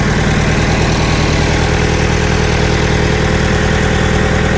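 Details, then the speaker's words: Scrapyard diesel forklift running on its own at a steady, somewhat lumpy diesel idle with an even clatter; an exhaust leak and smoke from the unbolted fuel pump mounting are noted; the starter and a possibly low battery were slow. "g ồ, nó chạy thực sự chạy khá tốt có rò rỉ khí thải ở đâu đó không có giá trị gì"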